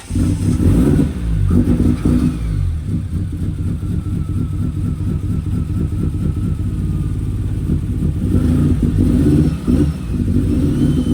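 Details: Ford Focus RS running again outside after oil leak and engine bay work: uneven stumbling beat with lumpy surges in exhaust note, running rough like a misfire, cause unknown to owner.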